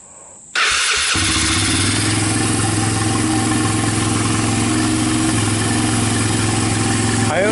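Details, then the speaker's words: Honda TRX300EX single, formerly seized garage-sale ATV, starter powered directly from 12-volt jump pack, PZ27 carburetor on adapter; brief starter whir then fires and settles into steady even thump, no timing chain noise; starts and runs normally. "yeah it sounds good no timing chain choices no dad's down so I think I think we're all good"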